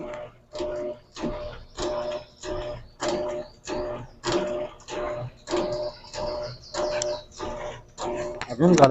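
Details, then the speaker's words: Electrolux LAC13 top-load washer agitating on turbo setting, full of clothes: sharp knocking cracks about 1.5 per second, like something hitting both sides, caused by play in the loose tank cover (capa tanque). "esse barulho como se fosse algo batendo pros dois lados vamos abrir a tampa aqui ó galera esse estal como se fosse esse barulho para saber se tá aqui em cima na capa a capa tanque só balançar ela para um lado e para um outro"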